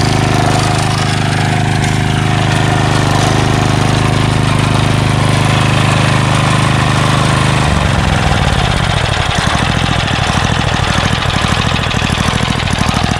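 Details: Craftsman 3 HP Tecumseh lawn edger, after water-contaminated oil replaced with SAE 30, new carburetor, gas line and air filter: first start after priming, runs smooth and steady then drops to slower looser idle; no misfires, healthy.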